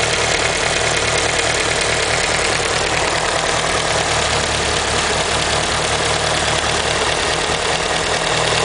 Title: Evo lifter tick?